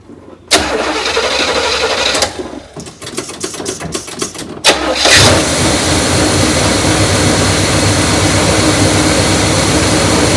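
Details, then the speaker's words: Neglected 1972 Buick Riviera Boat Tail big block, parked about 5–7 years: after cranking unevenly it catches and settles to a steady, even idle, no racing. It runs to test the carburetor, charging system working, coolant slightly low. Normal idle. "charging system seems to be working so it's just like when you parked it"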